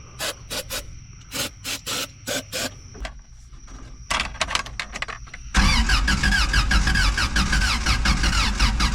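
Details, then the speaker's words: Old Toyota truck sitting 26 years, starter fluid sprayed into the carb: sluggish uneven starter bursts fade out and it never fires; slow cranking from dead battery. "Oh, nice. Sounds like my battery's dead. Nice. Well, looks like we'll try again tomorrow."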